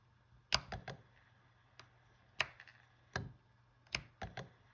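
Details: Fujifilm X-H1 camera on power-on and when pressing playback: irregular bursts of sharp mechanical clicks, clunks and knocks from the IBIS stabilizer, louder than on some other models. Cause still under investigation.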